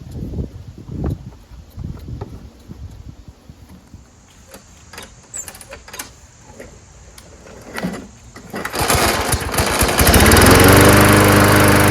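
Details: Mower engine after the primer bulb was fixed: after some handling noise it catches and settles into a steady, even run with no misses; healthy.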